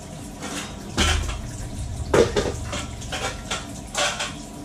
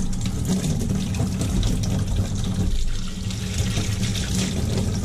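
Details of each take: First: Loud irregular banging and clattering in the pipework, first mistaken for a Navien combi boiler, while the kitchen faucet's hot side runs and vibrates hard; water hammer traced to the faucet, which is being replaced. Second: Kitchen faucet on a combi boiler system after the valve was taken apart and flushed: water runs with a smooth, steady rush and no banging. The earlier air/water hammer is fixed and flow is normal.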